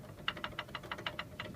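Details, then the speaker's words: Mazda 3 rear brake caliper with new pads, shaken by hand; about ten sharp tinny metal rattles in under two seconds from the inner pad, because the pad springs were not spread; fix: remove caliper and spread the springs with pliers. "начинает вот так вот дребезжать. Вот колодки новые. И вот здесь вот так вот дребезжат. Внешне стоит нормально, вот внутренне стучит."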